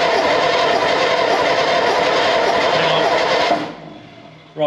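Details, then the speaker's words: Second AEC Matador diesel engine on a stand, fuel pump timing, valve timing and tappet clearances already checked: fast even cranking with no firing; smoke shows fuel is arriving; low compression suspected. "we've got smokes we're getting that just shows we are getting fuel to the system so just try again"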